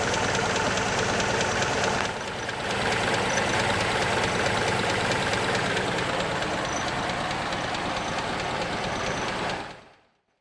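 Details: Mitsubishi Tredia after alternator mount was cut and realigned to fix belt slipping noise and no charging: even, steady idle with ordinary valvetrain ticking, no belt squeal or chirp; normal idle, belt drive quiet.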